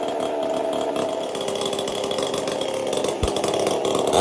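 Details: Performance-built two-stroke chainsaw fitted with a 372 carburetor and a copper-wire choke after a missing detent ball bearing was fixed: revs high and steady with crisp even firing, no hesitation or bogging; normal running.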